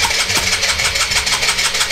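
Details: Suzuki VanVan 125 single during a compression test: the starter cranks at a steady, quick pulse with even compression strokes and no firing. The first bike reached 140 psi.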